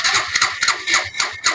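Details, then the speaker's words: Fuel-injected motorcycle cranking on the starter in quick uneven whirs but never firing. No current reaches the plug because the lean angle (rollover) sensor is placed upside down or is faulty, so there is no spark. "Start তো হবেই না, current আসতেছে না, কারণ Lin angle সেন্সরটা আমার আমি উল্টো করে রেখেছি, বা এটা খারাপ বা নষ্ট।"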